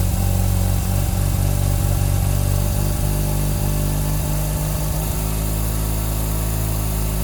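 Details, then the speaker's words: Turbo II RX-7 rotary, cold start after about three months in winter storage at 19°F: loud idle around 1350–1400 rpm with a low, uneven burble that hunts and dips every few seconds; owner suspects the idle control device has failed. "And the idle's more correct, but do you see that hunting? I think this device is kaputs."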